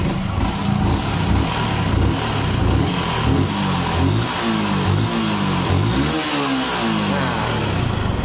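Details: Yamaha R15 single after repair of sticking valves that had caused low compression and a total no-start: revs up and back down cleanly in repeated blips, no misfire or clatter, settling between revs; engine running healthy.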